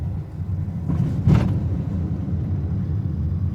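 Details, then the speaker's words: Honda Amaze after full suspension work with new parts, driven over holes: steady low road rumble with no clunks or knocks; suspension quiet and sound. "देखना हमारी car में किसी प्रकार का कोई आवाज नहीं है।"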